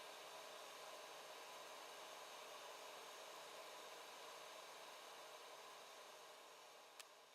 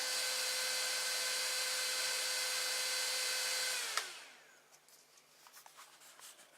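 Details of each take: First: After the fix, the 3D printer's 24V-to-12V buck converter has a new 80 mm Silent 8 fan replacing the noisy AMD CPU fan: a soft, even airy hiss with no rattle or buzz, so the fan runs quietly and healthy. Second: Loud, steady fan whoosh with a mid-pitched hum, then winding down and stopping: the AMD CPU heatsink fan cooling a 24 V to 12 V buck converter in a 3D printer is too noisy, due for replacement with a Silent 8 80mm fan.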